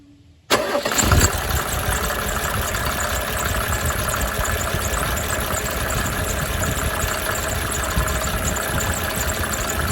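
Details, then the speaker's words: 1987 Mercedes 300 SDL OM603 diesel idling after fitting a remanufactured alternator, replacing the old one that had no charge: thin high chirping squeal over a steady idle, not there before; alternator squeal. "It had no charge, so I had a remanufactured one here in inventory and it squeals like a son of a gun, as you can hear in a moment."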